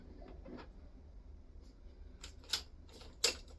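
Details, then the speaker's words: BMW F650GS Dakar, first start after restoration, ignition on: irregular clicks and no engine even after cleaning battery terminals and jump leads; no ignition power. "At this point, just checking the basics, clean up the battery terminals and cleaned up the jump leads and hoping for the best. Hopefully it was just a poor connection, but nope."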